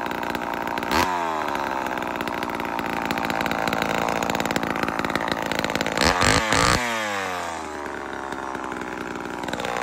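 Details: Vintage Homelite Super XL-12 chainsaw after sitting a while: steady buzzing idle, revs cleanly when blipped and drops back smoothly without dying; healthy.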